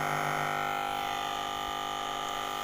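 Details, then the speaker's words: Polytron compo stereo with an added Bluetooth module run without a stabiliser: steady buzzing hum with stacked fixed tones and no music, louder in Bluetooth mode; 7805/7808/7812 regulators don't remove it, unfiltered module supply suspected. "kalau model bluetooth seperti ini ini sangat susah untuk menghilangkan noise nya eh Hai apabila teman-teman mempunyai modul bluetooth yang suaranya noise ini pabila dikasih stabiliser 7 8 12 7805 7808 itu masih terdengar noise jadi ini sangat susah sekali"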